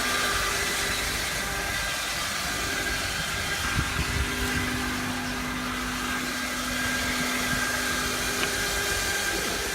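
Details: 2003 Honda Accord 4-cylinder, 120k miles, running with a loud, steady, thin mid-pitched whine from the engine bay for several seconds; source undetermined.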